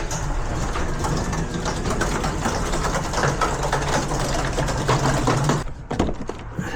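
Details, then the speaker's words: Garage door after lubrication of hinges and bearings: continuous rough rumbling and rattling as the door travels, then stopping; worn rollers wobbling in the track, need replacing. "need a few rollers, sound bad."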